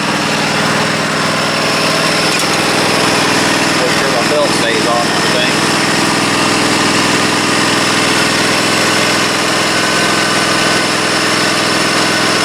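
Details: Husqvarna Z254 mower after repair with a used pulley and the belt refitted: steady, even engine drone with no knocks, misses or belt squeal; runs smoothly and sounds healthy.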